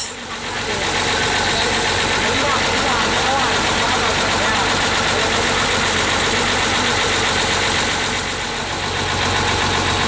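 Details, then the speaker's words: Diesel ALS 234, four cylinders, after a three-day overhaul with all pistons replaced: a steady, even idle near four beats a second with no knocks or misses. The engine sounds healthy and firmer than before. "mesin lebih mantap ya sekarang ya"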